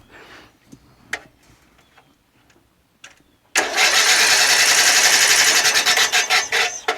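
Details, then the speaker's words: Murray Select 12.5HP 40" lawn tractor engine cranking after spark plug gap fixed: fast even cranking at about four beats a second that never catches, puffs of air out the front, no spark and no compression. "I don't see any spark. And I feel a lot of air coming out the side. When I crank it, there's like puffs of air that comes out the front."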